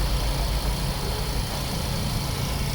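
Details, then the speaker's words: Suzuki Swift M16 after throttle body and airflow sensor cleaning, previously low idle and shaking especially with AC on: low even rumble at steady idle, no dips or shaking, holds speed with AC. "Okay goods na kanina pagalaw galaw yung makina Lalo na kapag naka-aircon an maintain"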